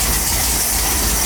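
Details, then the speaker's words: 1959 VW single cab pickup air-cooled engine, cold start after flooding the carburetor: steady even low rumble under hissy exhaust, no knocks or misses; quiet healthy idle, charge and oil pressure lights out. "doesn't sound bad at all it's quiet oh he doesn't sound bad at all yeah we might go with that motor sounds good too"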